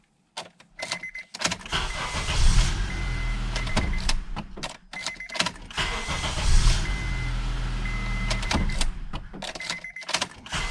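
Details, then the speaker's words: 2003-2007 Honda Accord, final test with panels refitted after replacing the ignition switch actuator (35130-SAA-J51): a short crank, an immediate catch and a low steady idle; starts normally every time. "como se puede ver con esta llave arranca de manera completamente normal sin fallar ninguna vez"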